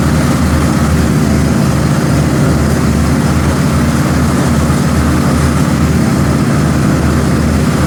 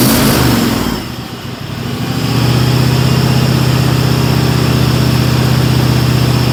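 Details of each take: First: Cub Cadet XT1 Enduro garden tractor after replacing a mower deck spindle and fitting a new deck cover, deck engaged: steady, even engine drone, deck running smoothly with no grinding or knocking; healthy. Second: Cub Cadet XT1 Enduro garden tractor that grinds and vibrates when the mower deck engages: a loud steady drone with a rough metallic edge, suspected worn deck spindle bearing.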